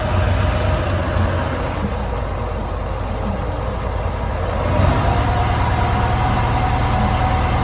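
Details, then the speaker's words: Lancia Delta HF Integrale barn car, unrun for over six years, after new fuel pump, cleaned fuel lines, four replacement injectors and fresh high-octane fuel: low idle with slightly uneven pulse, soft stumbles and a small surge; mild misfire remains. "for a few tries the engine started to run a lot nicer still had a little bit of a misfire but that was fine because this engine hasn't been run in he tells me over six years so it's going to take a little bit of fettling just to get it to run for the first time"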